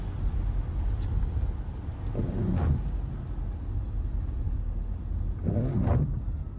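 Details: 2024 Mercedes-Benz GLE wipers squealing and chattering in rain while driving, a problem since delivery and still present after four dealer workshop visits and repairs; cause unresolved.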